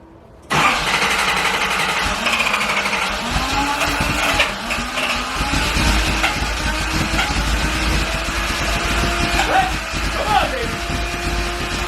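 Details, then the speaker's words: Nissan 280ZX revived after spark plugs pulled and oil added to cylinders, started outdoors in rain: engine finally fires but runs unevenly, revs surging and sagging, won't hold idle or stay running. "it's finally [ __ ] starting we just need to get it to actually like stay running almost there"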